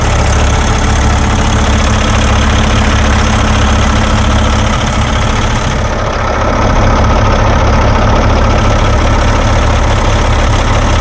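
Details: Paccar X15 diesel truck at idle following a fuel filter change. It fired on the first start and idles about ten minutes with no throttle to bleed air and check for leaks. Smooth, even low rumble, no knocks or hunting: normal idle.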